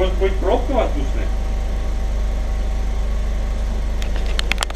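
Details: Audi TT, self-rebuilt engine running after two dead cylinders were fixed with new spark plugs: steady, even low idle, about three and a half beats a second, no knock; running cleanly.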